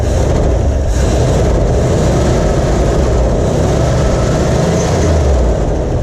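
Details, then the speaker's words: 1977 Ford F-250 4x4 with 351 Cleveland V8, revived after long storage, idle screw being adjusted: a deep, uneven low rumble with no steady beat, running rough as old stale fuel is still being pulled through. "still got all that old fuel in there trying to come out just a little bit"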